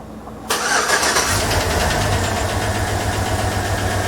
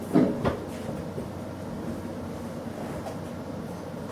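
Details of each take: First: 2007 GM displacement-on-demand (AFM) Tahoe with check engine light and misfire, tune-up already done: fast, steady light ticking tied to engine speed over the idle after startup; collapsed lifter. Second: 2007 GM V8 with displacement on demand, after AFM/DOD turned off in software for a collapsed lifter misfire and tick, codes not yet cleared: cranks cleanly, smooth even idle, no lifter tick; normal idle.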